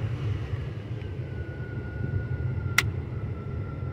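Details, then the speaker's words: 2005 Chevy Avalanche 1500, 5.3 L, after a no-start/no-crank was rigged with a switch; runs fine once fuel pressure builds. Low steady rumble, one faint click, no stumble or misfire; normal running. "now the truck runs fine I had to let it build up pressure I guess I guess once it builds up pressure it's fine again"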